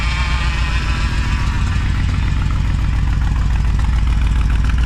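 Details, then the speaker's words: 454 big-block V8 in a Honda Civic, first test drive, warming up with choke still on: deep lumpy idle, mostly even but with an odd skip now and then; slight occasional misfire at cold idle. "Love that sound. Minus a little skip here and there."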